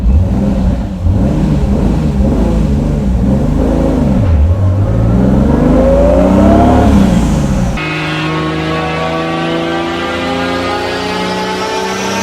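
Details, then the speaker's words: Turbocharged Lexus IS300 after boost and fuel tuning, second fuel pump switched on only above about 3000–3500 rpm: strong clean rise in revs into a sustained high-rpm pull, no misfire or stutter; normal acceleration under boost. "yeah runs like maniac and turning the pump on later you can hear like right now yeah so much it's awesome"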